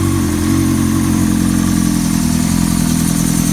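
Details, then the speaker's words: 2000 Honda CBR 600 F4i just rebuilt with new rod and main bearings and in break-in, 11.9:1 compression, injected with no lambda sensor: smooth, even idle with a steady low hum and no knock or tick. It sounds healthy. "Prácticamente no tuvimos que hacer mucho. Arrancó sola, prácticamente arrancó solo."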